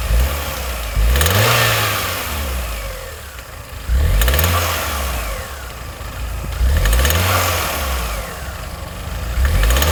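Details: Vauxhall Astra J revved repeatedly: rattle between 2000–3000 rpm, fading as it settles; no leaks or overheating, water noise behind dash; owner suspects back of water pump replaced 18 months earlier.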